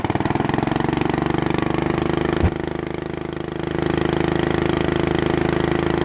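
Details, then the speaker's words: Bolens riding mower that sat a couple of years, after carburettor cleaning: small single runs fast and steady and won't drop to low idle; the governor and throttle check out, so the owner believes it just needs to warm up. "let's bring it down to low not coming down let's look and see why oh the governor and leakage and all that seems to be working just fine on the throttle so I'm pretty sure it just needs to warm up"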